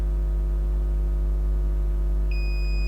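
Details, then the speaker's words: Novoferm 3-phase controller for an industrial rapid roll door: over a low mains hum, the multimeter gives a continuous continuity beep across the bridge rectifier, reading zero ohms in both directions. The rectifier is a dead short. "zero that way that's a dead short"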